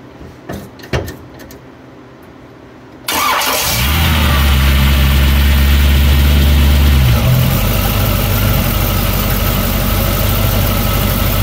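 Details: 1931 Ford Model A just after starting, settling into idle with a steady, fast rhythmic rattle as the starter pinion hits the flywheel ring gear (flex plate).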